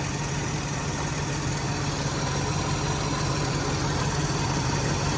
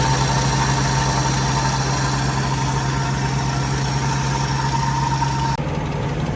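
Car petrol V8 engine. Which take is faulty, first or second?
first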